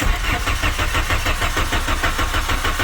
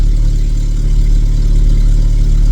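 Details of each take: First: 1997 VW Vento 1.8 automatic after replacing vacuum lines: steady even starter cranking about three turns a second that never fires; fuel drain-back or coil now suspected. Cranks but no start. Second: 1997 VW Vento 1.8 automatic after its distributor contacts were cleaned, finally running after a long no-start. A low, even rumble holds a steady idle with no stumbles or knocks; normal idle.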